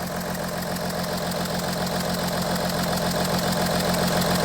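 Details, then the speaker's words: Audi Q7 3.0L diesel idling after swapping injectors between cylinders 4 and 1; uneven lumpy clatter with heavy engine shaking, misfire followed the faulty injector now in cylinder 1. "oh yeah now the whole thing is shaking like crazy"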